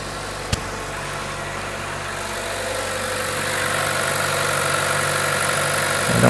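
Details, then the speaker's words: 2012 Chevrolet Cruze 1.4 L Ecotec turbo with P0171 history, after camshaft cover (PCV diaphragm) replacement and sealant set: steady, even idle with low hum and no vacuum-leak whistle or hiss; repaired, normal idle. "feel anything at all and I don't hear anything at all"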